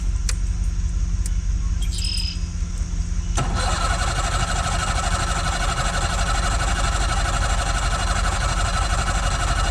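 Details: Bass Tracker outboard at lake launch, start battery voltage not high: repeated cranking chatter for a few seconds, then catches and runs rough and busy; hard starting, cause unknown.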